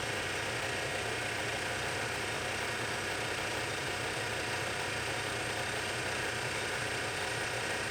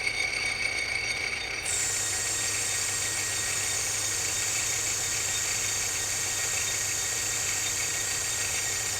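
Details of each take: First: Lathe boring the bore of a back gear for a project lathe with a boring bar, light skin pass to check clearances, no coolant: a steady, even cutting hiss with no rising squeal or rhythmic buzz, a clean cut without chatter. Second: Project lathe running with its newly made back gear: a steady high whine over the motor hum holding pitch, a little noisy gear mesh; the owner says the gear is quiet if mesh depth is right.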